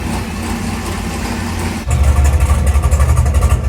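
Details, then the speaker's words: Chevrolet Monte Carlo big block on E85 with ATM Dominator carburetor, first fire after build before turbo kit: catches after cranking, settles to deep steady rumble with even throttle blips; no smoke, good oil pressure, no knocks or rattles; healthy. "Sounds pretty good. It does. No smoke. No smoke. Good oil pressure. No rattles, no knocks."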